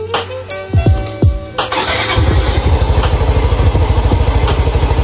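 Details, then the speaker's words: Yamaha Mio i 125 scooter after a top overhaul for loose compression, exhaust refitted: starter cranks, one-click start, quiet even idle with regular exhaust pulses and no knocks, idle at standard; only a speed-sensor check-engine code remains. "At ayun mga boss, tahimik naman yung makina at one click din. At yung minor niya ay nasa standard lang mga boss."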